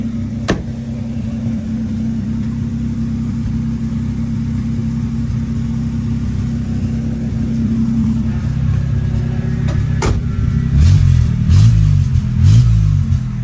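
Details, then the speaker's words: 1964 Oldsmobile F85 Cutlass V8, 67,000 miles, just revived after 33 years sitting: a deep, fast idle that turns loud and raspy when revved. The exhaust is leaking because the muffler is bad and blown out at the front. It idles higher than wanted; later readings are 180–190 temperature and about 40 oil pressure. "does have a bad muffler. See the whole front of it blowed out."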